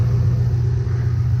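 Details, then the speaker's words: 2005 Ford Mustang GT Copart rebuild, hot mid-90s day, warming up with check engine light on: steady even low idle rumble, no knocks, ticks or misses; engine sounds good but fan fails to come on when warm. "engine sounds good but when he gets warmed up the fan doesn't come on"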